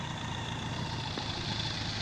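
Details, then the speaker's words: BMW K100 motorcycle after a 7-month rebuild, after its first ride in cold weather: smooth, even, quiet idle with a low steady hum and no knocks or misses, called the quietest 1000 heard; normal idle. "Man, I said, I don't think I've ever heard any 1000 as quiet as this."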